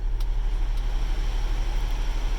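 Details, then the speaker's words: 2006 Honda Odyssey cabin blower after replacing an overdue cabin air filter: smooth steady low hum with faint even pulse, no rattle or scraping, previous noise gone, more and colder air: normal blower fan operation. "ahora sí vamos a escuchar el aire cómo está el aire de bonito el aire acondicionado si ustedes oyen ya trabaja mucho mejor a más aire más frío"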